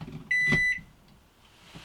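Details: An AC appliance in a motorhome gives one clean high beep of under half a second. It is the normal power-on chirp when running from an ALLPOWERS S2000 2000W/1500Wh portable power station.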